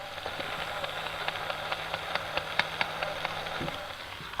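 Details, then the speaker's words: Gmade Komodo GS02 Double Cab RC truck, formerly silky quiet: steady motor hum with a faint regular tick about twice a second, felt through the casing. Drivetrain click chatter; owner suspects the gearbox, unconfirmed. "my komodo has developed a bit of a click chatter see if i can replicate it on the camera here"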